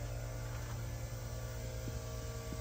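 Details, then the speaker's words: Chevy pickup fuel injectors on a homemade flow bench: second fuel pump primed by bridging the hobbs switch, giving a low, steady electric hum; pump running normally and building pressure. "Prime the hob switch I'm just going to grab a pair of pliers and cross that over there we go pump is running"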